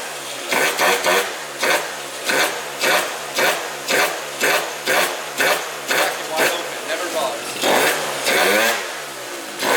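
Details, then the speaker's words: Malaguti Phantom F12 two-stroke scooter with 70cc kit and Yasuni pipe, just fitted with a bigger TP-21 carburetor: crisp quick throttle blips with clean pickup and even return; sounds happiest ever, earlier stalling at idle addressed, still untuned. "well boys we put on a tp-21 just now and this bike sounds the happiest it's ever been so I think it's now time where I can actually tune this bike correctly"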